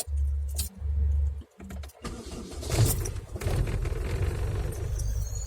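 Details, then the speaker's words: Vehicle with DELCO REMY starter after bendix replacement and gearbox/needle bearing servicing (previously wouldn't crank): firm cranking catches quickly into loud idle with faint unevenness; slight misfire suspected from driving through a puddle. "Все, заработал, вчера просто по луже проехался, чуть-чуть троит, поэтому как-то так."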